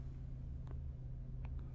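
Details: Lexus LS400 heard from inside the closed cabin: only a faint, steady low rumble, smooth and even with no knocks. A normal, quiet idle.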